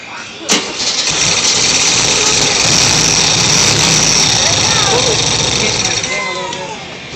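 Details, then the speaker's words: VW Type 3 1600 cc single-port engine, first start after rebuild, after an earlier backfire: sharp bang, then it catches and races briefly before sagging away; out of fuel, the poured-in gas used up, won't stay running. "Yeah. No gas again. We just used all that gas I poured in there."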